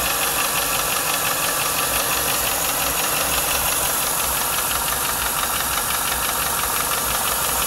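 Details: 1995 Lincoln Mark VIII LSC, Ford 4.6 DOHC V8 at idle: a steady, fairly quick tapping through the engine sound; owner is unsure whether it is lash adjuster tapping or knocking from piston slap or rod knock.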